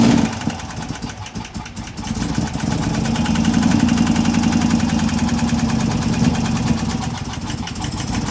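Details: 2016 Chevrolet Camaro LT1 V8, rough choppy idle during cylinder-by-cylinder coil disconnect test: idle loping about four beats a second with irregular stumbles over the exhaust drone. Misfire, later traced to a cracked valve spring.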